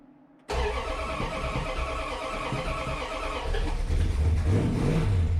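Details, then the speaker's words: 1965 Dodge Coronet with an LA 360 swapped in for a 318 Poly and a rebuilt carburetor, first start after the engine install, in neutral with the rear wheels spinning: the V8 catches quickly into a deep, steady rumble firing on all cylinders. Healthy start; idle may need raising. "made it I might need to idle up a little bit and the rear wheels are spinning because it's a neutral so she lives"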